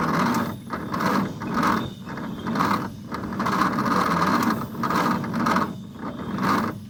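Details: 1950 Nash Statesman engine, unrun for 23 years and stiff, cranked with plugs and leads fitted: slow laboured cranking, compression pulses about once a second, never catching; starter turns too slowly to start.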